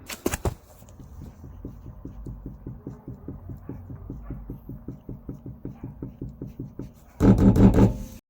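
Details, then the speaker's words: Lada Largus at 5,500 km: light, even rear-hub knock about three times a second with no hum. Play first appeared at 500 km; the dealer reportedly replaced both rear wheel bearings, but the knock and play remain unchanged. Rear hub bearing play suspected, not confirmed. "Но проблема в том, что стук, люфт, он как был, он так и остался."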